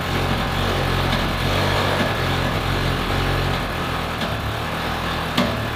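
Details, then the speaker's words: Ferrari 360 Spider V8, idling without throttle pulses unevenly with irregular stumble and knock-like thumps, gasoline smell; owners suspect injection fault or a spark plug not firing, not running on all cylinders, cause unconfirmed. "You do hear a weird sound, right? Like it's knocking or something, a backfire, like the injection isn't working properly. Or that a spark plug isn't firing properly, you know, like it's not pumping along."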